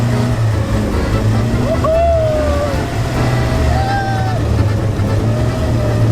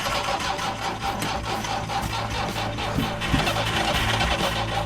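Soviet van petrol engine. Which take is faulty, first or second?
second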